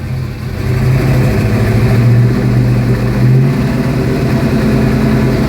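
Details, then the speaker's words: 1972 Ford Mustang Mach 1 with rebuilt 351 Cleveland Cobra Jet V8 (roller rockers, forged pistons, 10.5:1 compression, Holley 650, Edelbrock intake, Flowmasters), not yet warm, heard from the driver's seat: smooth burble blipped to about 2000 rpm, no knocks. "and this is what it sounds like to sit in the driver's seat. And I know the microphone on this camera doesn't really do it justice, but you kind of get the idea."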